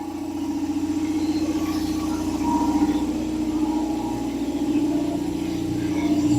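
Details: Revived long-idle belt-driven air compressor on first run: steady motor hum with even pump pulse about four beats a second, no knocks, building pressure; quieter than a Harbor Freight unit, belt could be tighter; normal running.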